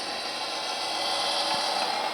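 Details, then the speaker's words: Model railroad layout, a car rounding a tight curve: a thin high squeal rises briefly over faint running noise as the wheels bind on the curve's tight radius. "You hear that little screeching right there? I got tight turn right there."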